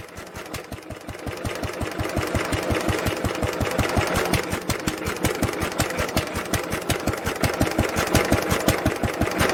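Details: 1946 International LBBR 3-5 hp hopper-cooled single-cylinder engine off a hay press, with a homemade glasspack muffler fitted: steady, rapid, even exhaust thumps close to three a second; normal running.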